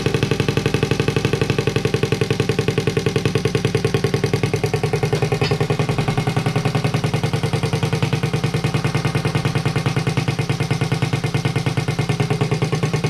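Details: Honda Z50A monkey bike after fitting CR70 stator with original flywheel, manifold not connected to silencer: loud crisp even popping at steady fast beat, no misses or knocks; normal running, open exhaust.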